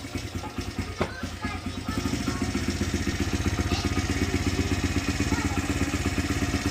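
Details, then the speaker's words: 2006 Honda CRF100F after tightening the timing gear bolts, started on choke after sitting months: small single putters at a steady even idle with no ticking or clicking; clicking noise fixed. "Oh, she shut off. But yeah, guys, no more clicking noises. Perfect."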